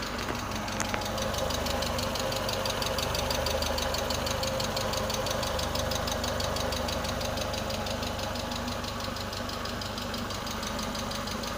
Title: MAF Vacuum Leak